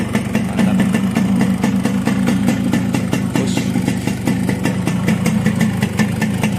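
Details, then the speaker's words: 1993 Yamaha RX-S 115cc two-stroke motorcycle with Mikuni carb and reportedly standard bore, just kick-started on the first try: steady idle with a light, even popping beat and no knock or rattle. Block sounds fairly smooth but not perfectly; the exhaust reportedly smokes a lot. "suara bloknya agak lumayan halus, tapi nggak yang halus total."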